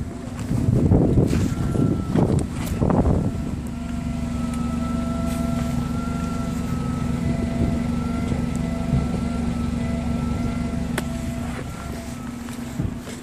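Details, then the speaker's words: 2011 Hyundai Genesis 2.0T parked at idle: steady high-pitched hum coming from the rear of the car; owner suspects the fuel pump, cause unknown. "I'm not sure if you guys could hear it, but it's a very high-pitched noise."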